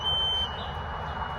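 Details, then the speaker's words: Piercing half-second high beep with fainter lingering tone outside an apartment front door, sounding since 4 a.m., just as loud indoors; security camera flagged a CO alarm, unconfirmed, sound bouncing off walls. "But this noise has been going off since 4 o'clock this morning. And I know you can hear it in the video because it's quite loud."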